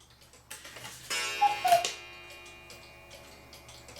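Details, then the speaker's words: 1940s Hubert Herr Black Forest cuckoo clock after cleaning, oiling, new bellows and a gong adjustment, amplifier on the movement: light even ticking with a clear ringing gong strike, both sounding clean and healthy. "So let's open this up. And what it is, so I got the amplifier on the ticker or on the clock so you can hear it ticking. It's not perfect, but it's really good, or good enough."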